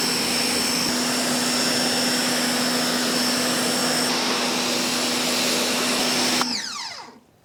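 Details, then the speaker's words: Ryobi 1600 PSI electric pressure washer spraying stucco wall with medium nozzle: steady high-pitched pump whine over spray hiss, even throughout, then dies away; loud and annoying but normal running. Normal pump whine. "another thing that I've noticed my first impression of using it that wine if it's coming across on the microphone as much as it is to my ears is pretty annoying"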